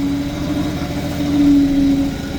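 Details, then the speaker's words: Rissler V975 TMR feed mixer running after the drive chain was tightened via the hydraulic motor and oiled. A steady even hum with no squeak or chain slap: normal running. "mix's running a whole lot less play in the chain um you can hear it's no longer squeaking"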